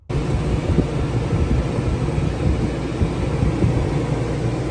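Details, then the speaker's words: Previous rooftop air conditioner on a camper van, later replaced by a quieter Houghton Belair 2800, running steadily with a heavy low roar and hiss that never cycles. "what it sounds like now you hear it running that is we are now able to be on a work call and also have the AC on"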